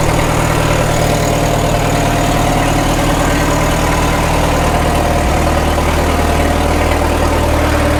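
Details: 1936 Caterpillar Twenty-Two tractor on gasoline, after sitting for years: a steady, even low idle with no misses or stumbles, and the carburetor is judged to need no adjustment. Normal idle.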